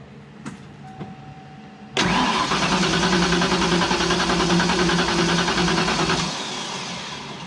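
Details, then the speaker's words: Turbo Fox-body Mustang, first start attempt after tightening grounds: starter cranks steadily about 3.5 beats a second but engine never catches; timing close, fuel smelled, owner suspects weak spark and low battery charge. "We got something not. It's spinning good, but it's not trying to catch."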